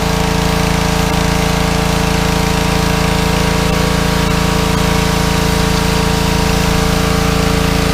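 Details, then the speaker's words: Pressure washer that sat over a year, after carburetor cleaning cleared a clogged bowl-screw jet and dried ethanol gas. Steady, even drone holding speed while spraying, no misfire or surging. Normal running under load. "Well, sounds like we're cooking with gas. Let's go and have a look. That's making a treat now, Aaron."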